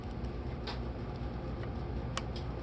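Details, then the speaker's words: 12 V DC coil relay from a VENU-100 PA amplifier bench-tested on a power supply set to 12 V, 200 mA max; a sharp single click over a steady low hum as the coil energises. Relay pulls in cleanly, working normally. "I'm gonna do should hear it click all right turn the power supply on on here okay here goes nothing"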